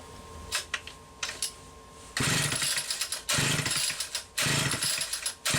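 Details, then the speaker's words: Homelite Super XL two-stroke chainsaw with a mid-80s Tillotson carburetor and new fuel hose, first test run: several uneven, snapping throttle bursts between lumpy idle patches, rough and hesitant. Runs better than expected, but there is some carburetor issue. "okay well that is actually running a hell of a lot better than I expected there is a carburetor issue of some sort right here"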